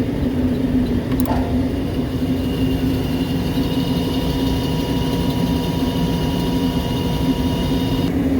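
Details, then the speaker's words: Make-up air unit's blower motor runs with a steady hum and a faint metallic ringing from worn bearings; still working, so motor replacement is left to the customer, while the blower wheel and shaft need repair. "it's okay it's working it's just I can hear just a funky metallic sound in the bearings"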